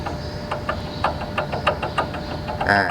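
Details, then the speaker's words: Honda City 2013, engine off, belt tensioner pulley turned by hand gives regular gritty ticks about three per second and rocks with play: worn tensioner bearing, needs replacing along with the belt. "เดี๋ยวผมจะเอามือหมุนดูในกล้องได้ยินหรือเปล่าแต่แน่ๆผมได้ยินมันดังเลยนะแล้วโยกแบบเช็ครุ่นนะครับ"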